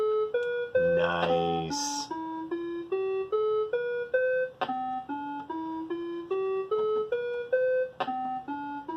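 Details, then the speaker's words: Commodore SX-64, faulty quiet SID replaced with a SwinSID Nano, running the owner's-guide musical scale program into a 1702 monitor: clean, even tones step through the scale with no buzz or dropouts, normal sound output after repair. "well I think we can consider that a successful sound repairable"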